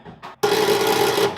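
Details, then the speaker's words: Engine unstarted for 42 years, not yet fully lubricated, tried on a battery: short strained whirr under a second, no cranking rhythm; starter cannot turn engine over, owner suspects insufficient battery. "just trying to get the cylinders to turn off the starter but i don't think the battery's got quite enough"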